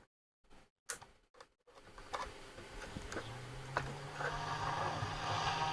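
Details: Roberts R707 radio: a few sharp taps, then only a faint hiss and low hum creeping up; set is barely producing sound, weak intermittent output.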